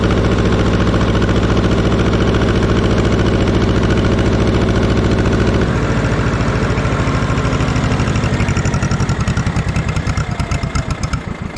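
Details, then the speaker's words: 1950s barn-find Schramm air compressor engine, loud with poor muffler: steady single-engine thump drops, slowing into heavier uneven beats once the unloader kicks in and load comes on; can't hold rpm under load. "therein lies the problem it's like it can't keep the rpms up after the unloader kicks in"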